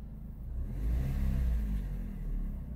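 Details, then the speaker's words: 2007 Chrysler PT Cruiser after engine flush with Liqui Moly, fresh oil topped with Marvel Mystery Oil: engine revs smoothly up and down, deep steady rumble with no knocks or misses; normal revving. "all right let's turn her on oh yeah she sounds good"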